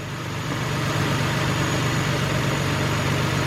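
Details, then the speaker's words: 2003 Nissan Maxima GLE 3.5 after partial engine rebuild: steady, even idle hum with smooth low beat about four pulses a second, no ticks or knocks; normal idle. "It's running really good, as you can see for yourself."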